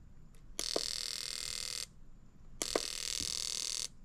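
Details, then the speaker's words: Fuel injector from a 2003 Sea-Doo GTI RFI, off the engine on a pulse tester: sharp clicks open each of two hissing spray bursts of about a second; injector opens and closes cleanly, operating normally. "So you can hear the injectors running. You can set short, medium, or long."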